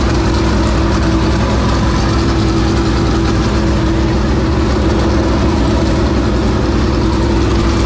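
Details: 465 cubic-inch V8 race engine, first start after three years sitting and after getting better fuel pressure: a loud, deep, steady rumble with even firing and no misses or knocks; normal engine running.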